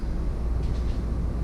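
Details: Coleman Mach basement air conditioner on a Winnebago after replacing power board and compressor relays: steady low hum with even rush of air, no surging or rattles; running smoothly, output down to 60 degrees.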